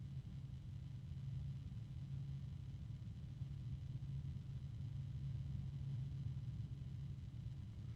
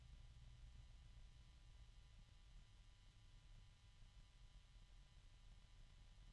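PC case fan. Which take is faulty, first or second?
first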